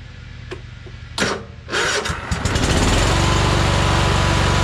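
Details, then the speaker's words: Troy-Bilt Horse lawn tractor with no power: after a few pops it catches to a steady lumpy drone that sounds exactly the same with either plug wire removed, pointing to a weak cylinder; spark check next, cause not confirmed. "it ran exactly the same as it did when I put this one on and took the other side off so it run exactly the same"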